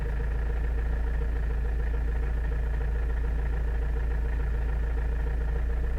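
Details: Toyota Avensis (first generation) strange low-rpm engine noise: a heavy low drone at idle with a loose, uneven pulse about three times a second; cause unknown.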